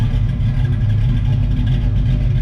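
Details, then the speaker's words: 1978 Pontiac Firebird with a small-block V8 and small cam, replacing the flat-cammed big block, idling with the new exhaust on. A deep, loping, even beat with no knocks or misses: a healthy cammed V8 idle. "Little cam sounds good in this thing."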